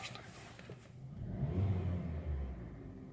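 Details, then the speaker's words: Hyundai Solaris 1.4 on Lukoil Genesis 5W-30 (switched from Mobil 5W-40), fully warmed, idling around 700 rpm with brief revs: smooth low rumble, no knocking that owner previously heard; sounds healthy. "слушаете нет никакого стука доведите машина горячие прогрелась"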